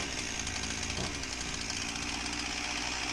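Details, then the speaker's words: Husqvarna 346XP chainsaw idles high and fast with a steady two-stroke buzz that never settles, and the chain won't stop turning. Air leak at the cylinder base gasket is suspected, possibly with a second problem. "the customer complaint is that it won't idle right so you can see here that the idle is high and the chain won't stop turning"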